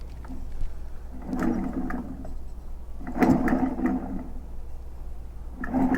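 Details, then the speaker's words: Echo PB-500H blower, not idling and running poorly, recoil starter removed and checked: each pull still brings dry rasping scrape from inside, so nothing misaligned; scored cylinder. "that's still making the noise so it's not like something's misaligned"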